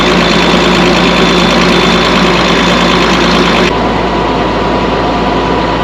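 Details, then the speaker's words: Chip box truck diesel idling, with fuel heavily diluted by about 10 gallons of oil in 20 gallons of fuel: even diesel clatter at a steady idle, about three pulses a second, no misses or knocks; sounds good. "remember this fuel is extremely diluted with oil probably 10 G fuel 20 sry 10 G of oil mixed in like 20 G of fuel sounds good though"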